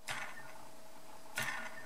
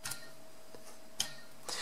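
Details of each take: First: DYS SE2205 2550Kv brushless motor, hand-spun twice: sharp whirring flick fading to faint rattly buzz, shaft has play, compared with good motor; poorly machined shaft or bad bearings suspected, second sample same. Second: New brushless quad motor spun by hand: faint, steady, even whir with no roughness or shaft play, healthy new bearings.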